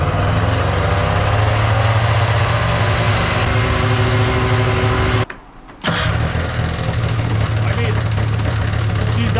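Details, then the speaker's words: Old snowmachine two-stroke after a new battery and the idle screw reset to factory settings: starts first go and holds a steady, even burble without hunting or stalling; normal healthy idle. "better starts up first go super easy is it yeah I think we did it"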